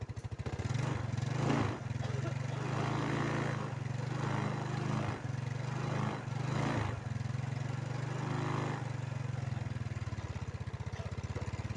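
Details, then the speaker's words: Yamaha Mio scooter with a recurring flat-battery problem, idling one to two minutes so the battery charges before a starter check: small single in a steady, even putter, no misses or rattles; normal healthy idle. "हम इसे लगभग 1 मिनट, 2 मिनट के लिए चालू करते हैं हां, ऐसा इसलिए है ताकि बैटरी पहले चार्जिंग से करंट से चार्ज हो जाए।"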